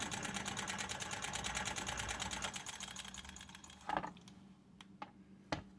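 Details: Ciné Kodak Model A 16mm movie camera, partly torn down, before cleaning and light lubrication: rapid, even mechanical clatter for a couple of seconds, then slowing into loose clicks; mechanism working properly.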